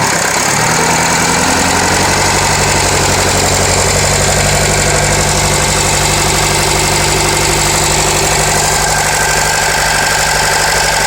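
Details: Renault Laguna 2.0 dCi 150 hp diesel at idle, with a sharp metallic clatter at about three taps a second over a steady idle. The source has not been identified. Metallic engine clatter.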